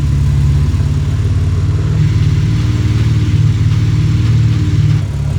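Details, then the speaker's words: RB26-powered Mustang started after a new exhaust was fitted, with a slip-fit joint, some muffler and a tip routed away from the tire. Deep, even exhaust rumble with a steady pulsing beat and no rasp or rattle; it sounds much better and healthy. "oh man start the car already oh it's so much better [Music] oh that sounds so much better"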